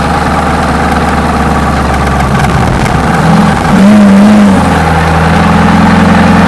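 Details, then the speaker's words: GMC 6.2 V8 diesel, unstarted for 15–20 years, running after a 24 V jump: idles steadily, blips up briefly and settles to a smooth, even idle with no knocking; sounds healthy though likely needing an oil change. "so that I think might obviously needs some oil changing and some surfacing but that sounds quite healthy it does it's a lot of talk there it's a lot of talk"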